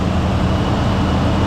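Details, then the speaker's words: 1966 Ford Thunderbird 390 big-block V8 with flat-tappet cam and true dual exhaust, just revived, warming up at idle with throttle blips before oil change; deep even rumble, no smoke, knocks or rattles; running rich; normal warm-up idle. "yeah look at this it ain't even smoking they ain't even smoking no noises no rattles"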